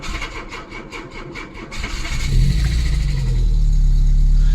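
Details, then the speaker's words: VW Golf Mk2 1.6 automatic with Weber carb, cold start on full choke after choke adjustment: slow laboured cranking about four beats a second, then catches into fast cold idle; battery likely needs a charge. "battery sounds like it could do with a charge"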